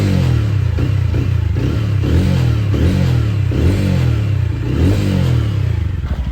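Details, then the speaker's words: TVS Ronin single-cylinder after full engine teardown and rebuild for internal noise (first suspected clutch), after cold start: clean, even thump with short throttle blips, no unwanted noise, exhaust punchy; sounds as smooth as before, normal. "ഇപ്പം ഈ ഒരു experience എനിക്ക് ആ പഴയ വണ്ടിയുടെ ആ ഒരു സ്മൂത്ത്നെസ്സും ആ ഒരു സൗണ്ടും ഒക്കെ തന്നെ ഫീൽ ചെയ്യുന്നുണ്ട്."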